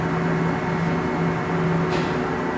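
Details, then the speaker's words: Blanchard No. 18 36-inch surface grinder: steady low hum with even whir and no knocks or grinding; coolant pump running smoothly with no coolant in it. "there's no coolant in it right now but pump works fine I hope you can hear that or not"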